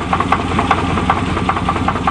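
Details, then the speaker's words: 1988 Chevrolet truck on a test drive: sharp metallic knocks ride on the idle several times a second in an uneven rhythm. The owner blames a bad crankshaft; this is not confirmed. "oh that sounds kind of sick oh"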